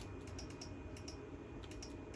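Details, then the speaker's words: 1983 Honda Magna V65 VF1100C electrical test, engine started: turn signal relay ticks fast and unevenly, about three a second, because the rear signals are not hooked up; owner suspects the signal switch on the weak side. "It's fast because we're not hooked up with the rear signals."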